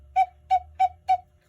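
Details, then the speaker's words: Bachmaier & Klemmer cuckoo clock, late 1950s, whistle bellows after trimming their Tyvek paper. Four clean, even two-tone toots about a third of a second apart at steady pitch, no breathiness; the bellows seal well and the whistle sounds normal. "I've completed the trimming of the Tyvek paper, and it sounds pretty good."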